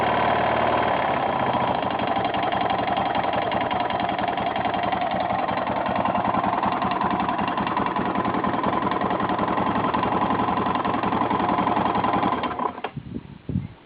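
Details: 1992 Yamaha XT600E (3TB) single-cylinder at idle: sharp, regular tick on each beat, about three or four a second; owner asks what the strange noise is, source unclear.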